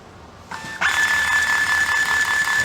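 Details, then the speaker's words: IBM 4400 thermal label printer running a diagnostic test print after repair of a bad ribbon rewind motor and dirty media sensor; soft start, then steady even motor whine; ribbon rewinding as it should, normal printing. "the ribbon's at least being rewound the way it's supposed to"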